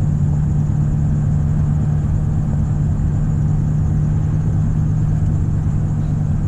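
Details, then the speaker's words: Ford Ranger automatic while driving, usually unable to exceed about 40–45 mph: steady high-revving engine drone with no upshift, loud squeaking, speedometer often not moving; transmission stuck in gear, cause not confirmed; truck also suspected of bad wheel bearings. "See, it's struggling to shift. And most time, this isn't even moving, so you can't track how fast you're going. It's doing all right right now. Usually I can't go past about 40, 45. Just stuck in that gear."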